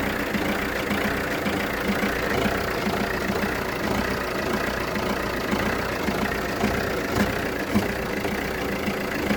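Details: Jeep Renegade 1.6 Multijet diesel, 177,000 km, idling after 3-4 minutes: uneven beat with occasional stumble and thump; no check engine light, no smoke, clears when warm, slight exhaust smell; misfire, owner suspects O2, MAF, injector or plug.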